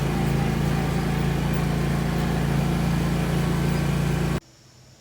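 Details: Zero-turn mower test drive right after replacing the hydro belt: steady, even engine drone with no knocks or belt slap before cutting off; running healthy.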